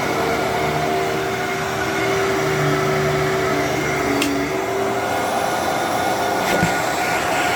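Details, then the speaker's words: Fantom Thunder vacuum expected to run poorly: smooth, steady motor hum with a constant tone, no grinding or fluttering; runs healthily. "Wow. Okay. For some reason, I thought that was going to sound way worse than it did than it than it does."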